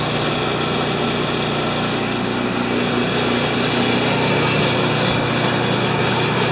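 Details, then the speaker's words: Mastercraft MTD snowblower after new drive/auger belt: small single-cylinder holds a constant, even buzz with no surging, slipping squeal or knocking while belt and idler turn and augers stop; runs properly. "First, you're going to see the belt turning with this idler wheel, and then when the belt stops turning, the augers stop turning."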